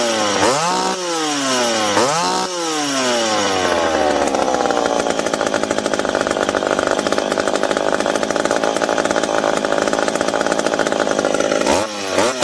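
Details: McCulloch PM700 two-stroke chainsaw, newly ported and on first run with carb roughly adjusted, not yet broken in. Blips up and down, then holds a steady high scream through the cut with no stumbling or surging. Normal running under load.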